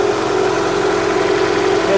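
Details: Honda CR-V just started after major service (oil leaks fixed, valves adjusted, coolant hoses replaced), warning lights off; a steady, even hum with no knocks, ticks or hunting. Normal idle.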